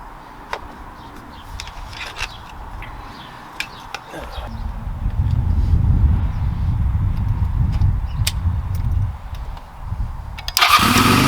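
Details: 2002 Honda Rebel 250 (CMX250C) single, 1,888 miles, 20 years little used, dead battery jump-started; seconds of clicking and cranking, then catches with uneven lumpy low thump, no smooth idle; carburetor in rough shape, needs cleaning.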